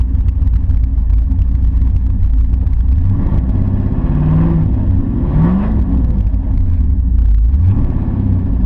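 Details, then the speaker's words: Camaro whose engine burned oil down to about 2.5–3 quarts before a wide-open-throttle run starved the pan: heavy, lumpy, wavering rough running with a sewing-machine sound, slow cranking and stalling; owner suspects a spun rod or main bearing. "cuz it's running wrong rough and sounds like a sewing machine sounds like a sewing machine run rough dies slow to crank"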